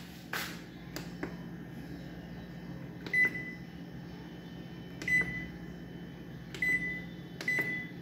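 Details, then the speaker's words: GE duplex refrigerator control board under repair: short high beeps at irregular intervals over a steady low hum with a few clicks; board powers up and works normally. "ok, the board works well"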